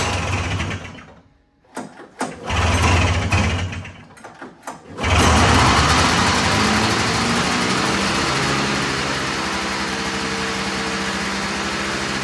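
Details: Old Arctic Cat snowmobile with a swapped-in fan-cooled two-stroke, carb screws preset at 1.5 turns: after a few stumbling catches it holds a fast, buzzy, steady idle; idling too high, so the idle screw was backed off about half a turn.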